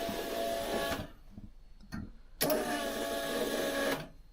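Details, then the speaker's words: 1982 VW Westfalia with a Subaru engine swap, fuel pump running on test before starting: the electric pump hums steadily in two runs of one to two seconds, building pressure with an even, healthy whir. "Yeah, there you can hear it running, pressuring up."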